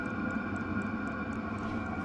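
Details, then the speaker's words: Vevor 8 kW diesel heater, after a full teardown and cleaning to cure smoking, now with its exhaust muffler fitted: a steady jet-like whirring roar with even light ticking, no smoke, warming up. Normal running. "I don't see any smoke at all coming out of there. And it's rip roaring. It sounds like a jet engine."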